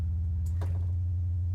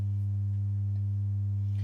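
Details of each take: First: Misbehaving modular synth: steady low hum with buzzy overtones instead of a clean sine; distortion remains with VCA removed but clears when envelope is unplugged, returning when plugged back in; cause not yet found. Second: Synth oscillator's sine output patched straight to the output through a passive mult and mirrored on an oscilloscope: a pure, steady low hum at one pitch with no distortion, though the scope shows a slight point at the top of the sine wave.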